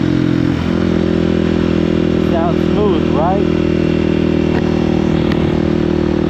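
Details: KOX 300 SM single-cylinder motorcycle being upshifted and downshifted while riding. A steady drone holds through quick rev dips on each shift, with no clunks or grinding: smooth gear changes.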